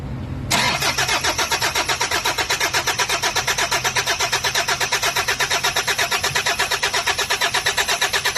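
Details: Toyota HiAce Commuter common-rail diesel with check engine light on: starter turns at about three beats a second for over eight seconds without catching, possibly air or vacuum in the common rail; hard starting, cause not confirmed.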